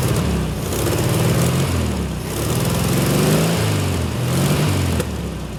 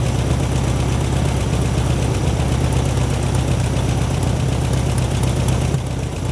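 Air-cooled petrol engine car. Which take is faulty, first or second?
first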